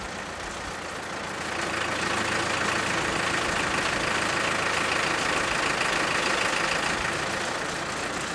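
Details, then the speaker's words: Bandit 200XP diesel wood chipper at low rpm with no throttle: the diesel stays steady while the clutch eases in and the disc spins up smoothly, with no slip or clatter. Normal clutch engagement. "just going ahead and ease this clutch in if you listen you can hear it that's what i always do i always listen for it"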